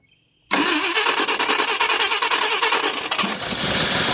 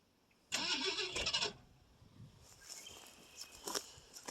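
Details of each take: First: 1968 Ford LTD 390 FE two-barrel V8, off the road since 1999, cold start after about three years: cranks and catches at once with some throttle, then settles into a fairly even run; starts and runs fine. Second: 1968 Ford LTD with a 390 FE two-barrel, off the road since 1999, on a cold start attempt. About a second of hissy cranking never catches, likely fuel starved, since the accelerator pump may not work.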